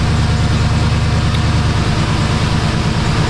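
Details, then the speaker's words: 2006–07 Jeep Grand Cherokee 4.7 V8 restarted after repair, previously misfiring with a badly fouled plug: low, steady, even idle with no stumbles or knocks while warming up; running smoothly, a few misfire counts seen. "I don't know if that spark plug's fouled out. It seems pretty smooth."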